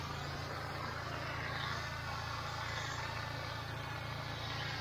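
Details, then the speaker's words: Honda IGX800 pressure-washer engine after replacing failing ignition coils with resistor-modified coils to cure bogging under load: steady, even drone under hissing spray, no dips or bogging; ran 30-40 minutes without problem, fixed. "we went ahead and finished the whole driveway takes 15 20 minutes but uh I let it I go slow I did a couple extra ran a machine about 30 40 minutes no problem fixed"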